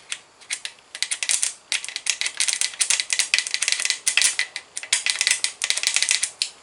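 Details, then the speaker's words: 1979 Ford F150 Custom, 351 Windsor, starter jumped with truck on the ground: fast dry rattling bursts but never spins up; broken magnets inside the starter binding it. "reason they say don't beat on them with a hammer is because it breaks the magnets inside of them once the magnets get broken into pieces it'll bind the starter up and it's no [Music] good"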